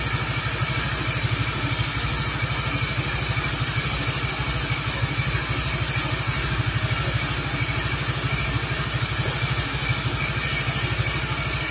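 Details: Suzuki Nex FI scooter after CVT/gearbox service with the roller housing replaced; steady, even idle putter, the earlier loud CVT/gearbox racket gone, only a faint mechanical tick of slight gear wear remaining; normal idle.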